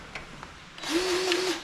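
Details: Grease gun on a Wood-Mizer LT35 sawmill (25 hp Kohler Commander) during 50-hour service, after clearing a burr from a fine-threaded fitting hole and refitting it: short, even motor whir, steady pitch; the fitting now takes grease freely.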